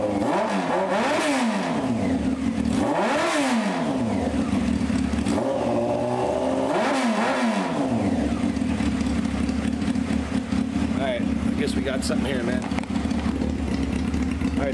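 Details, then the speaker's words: 1995 Honda CBR F3 just revived with new plugs and oil and bottle-fed carbs, with a couple of carburetor leaks: about three crisp blips rise and fall cleanly, then a steady raspy idle. It sounds mean and healthy. "Couple leaks. No problem. Sounds pretty mean, huh?"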